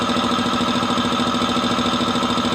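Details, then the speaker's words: Multipro VBC 300-1/125 OW air compressor on 180 V AC supply, filling toward 8 bar: steady even thumping pulse over constant motor hum, no knocks or rattles, quiet; running smoothly. "Oke, suaranya halus ya."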